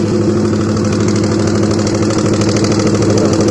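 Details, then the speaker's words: Honda CBR150 with rough engine after running out of oil completely: harsh, rapid clacking about three per second over a rough idle, from the middle of the head; noise persists after an oil change. "Dengarkan ya, ada suara klak di bagian tengah. Ya oke, jelas ya suaranya seperti itu. Jadi ini awal mulanya itu kehabisan oli ya."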